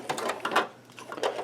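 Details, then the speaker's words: 20-year-old CD-RW drive in a Windows 98 PC, disc just burned as an audio CD: quiet bursts of clicking and whirring starting, stopping and slowing as the drive hunts over the disc, struggling to read it. "it's making different sounds oh it must be like towards the middle now it's just slowing down oh come on it wants to it wants to say yes"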